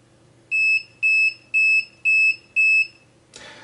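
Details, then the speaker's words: Piezo buzzer on a homemade alarm clock, configured to beep at most five times: five clean high-pitched beeps about twice a second, then it stops as intended; the alarm is working normally. "ich hab so eingestellt das vorläufig mal maximal fünfmal piept das ist natürlich konfigurierbar"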